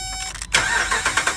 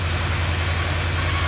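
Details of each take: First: 2012 Dodge Ram with crank-no-start: brief starter cranking, then the engine catches and runs once the fuel pump fuse is fed power directly; bad TIPM fuse box with its internal fuel pump relay failing, fuel pump good. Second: 2012 Dodge Ram that had cranked but not started because a faulty fuse box (TIPM) sent no power to a good fuel pump; with the pump fed positive power directly, it runs with a steady, even idle and smooth low rumble, no misses.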